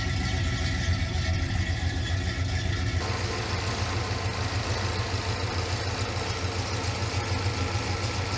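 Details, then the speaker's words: 1970 Pontiac Grand Prix SJ V8 at warm idle after first startup and cam break-in, with headers. Oil pressure nearly 60 psi. Steady, even, deep exhaust pulse with no knocks or ticks. Normal, healthy engine. "It's a little bit louder now that we got headers on it. I think it sounds really nice. Yeah, that's got a nice sound to it."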